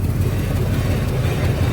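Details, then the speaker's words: Probably 2002 Chevy Silverado with a replacement engine, on a lift with the driveline spinning: deep continuous rough, uneven growl, suspected failing rear differential. The customer reported grinding when shifting into gear, and a brake is metal to metal. "but yeah I don't know what was creating that growling noise"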